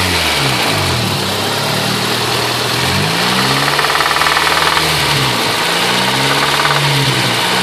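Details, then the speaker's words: Honda B16A being revved: a hard rhythmic knock tracking engine speed, appearing after the lifters were replaced. The engine had been losing oil with no visible leak. A spun bearing is suspected, not confirmed. "so is that a spun bearing that's sounding like a spin a spun bearing"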